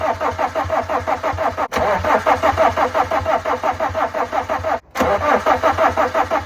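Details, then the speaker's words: Van that broke down, after new fuel pump, injector and cam sensor fitted: starter chugs about three beats a second in two long bursts, engine never catches; cranks but won't start. "Oh, that was a lot of pressure, wasn't it? It's not even like trying now, is it? Before it was like trying to start, was it?"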